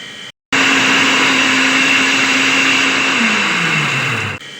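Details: Water pump motor before repair, with worn bearings (impeller plate and nuts also broken): loud steady whirring roar with a hard rasp and a hum that sags as it winds down; worn motor bearing.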